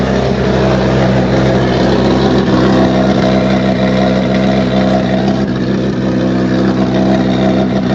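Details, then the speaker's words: Turbocharged engine on a flex-fuel ethanol tune with an open turbo setup; a loud, raspy, continuous drone with a steady low throb and no knocks or rattles. Running cleanly. "Oh, it sounds so good. Use more fuel to the lane. Wow, that sounds good."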